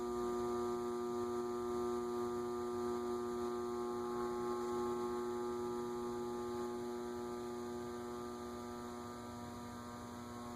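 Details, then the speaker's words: Leading Edge A-60 60-inch cast-iron industrial ceiling fan, reportedly 1985, at low speed: loud steady buzzy electrical hum with no rotation rhythm while stalled; noisiest at stall point, cause unexplained. "interesting that it's noisiest at the spot where it's stalled I'm sure one of our motor gurus can explain why that is"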